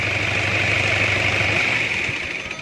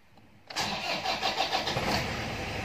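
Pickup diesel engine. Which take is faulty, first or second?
second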